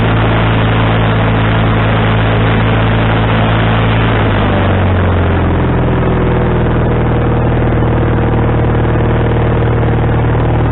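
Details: Wood-Mizer LT40HD sawmill engine with a new carburetor, after the linkage was moved from the wrong hole: the note steps down, then hunts around a lower idle. The idle is now adjustable, but surging remains to be corrected.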